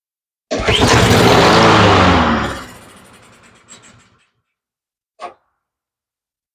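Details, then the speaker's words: Honda push mower that had very old, low gas, started after refilling with fresh gas. It roars for under two seconds, then dies. Suspected causes are fuel flowing too slowly into the carburetor bowl or a clogged jet. "that didn't have any change on her behavior even though we just filled it up it should have happened pretty quick"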